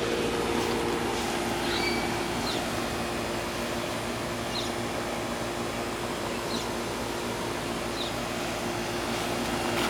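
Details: 1990 Tempstar 4-ton straight-cool air conditioner, original Copeland reciprocating compressor, about 22 years old, needs cleaning, running on an 84°F day; steady compressor hum under even fan whoosh, no knock or rattle, birds nearby; normal running.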